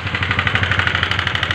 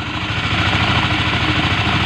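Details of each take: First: Honda CBR150 LED motorcycle, started at idle then revved: sharp rapid ticking about eleven a second over the idle, louder as throttle rises; top-end valvetrain clatter before engine teardown. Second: Honda CBR150 LED after repair for a noisy engine: steady, even idle with a smooth regular beat and no ticking or rattle; oil now sprays properly to the cylinder head, and the engine is quiet and healthy.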